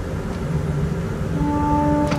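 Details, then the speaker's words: Church pipe organ, great-to-pedal coupler on with great open diapason, pedal pressed by hand: faint rumble, then a steady tone comes in late; slow-speaking pedal note from loose tracker adjustment screws, fixed by tightening. "to hear how the note comes in when i lean really hard on the pedal that's because these screws here are not properly adjusted or they become unadjusted"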